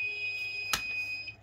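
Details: Tiger JPX-A100 rice cooker fitted with a wrong-voltage protection circuit: steady high-pitched buzzer with a sharp relay click as the alarm sounds when wrongly powered.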